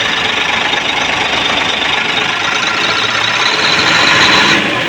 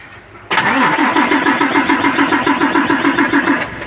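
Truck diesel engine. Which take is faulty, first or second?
second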